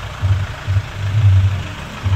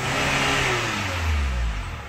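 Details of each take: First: Chevrolet Captiva FL diesel turbo with rough, lumpy idle, heavy pull, smoke and snoring; suspected causes turbo/VGT path and injectors not optimal; fix: turbo and fuel line cleaning, turbo hose and original cartridge restored, injector service. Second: Chevrolet Captiva diesel turbo after turbo path cleaning, new turbo hose, original cartridge and actuator settings restored, VGT refitted and injector service: revs up cleanly and settles back, smooth pull with no groan or turbo noise; previous smoking at idle gone.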